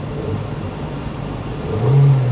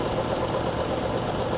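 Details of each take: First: Old high-mileage Hyundai at a salvage auction, only TPMS warning light on: smooth, even engine note rising briefly with a throttle blip and settling back, no knocks or misses; healthy rev. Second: High-mileage Hyundai Genesis at 243,000 miles idling at salvage yard with slightly lumpy, uneven pulse of a cylinder misfire; flashing check engine light.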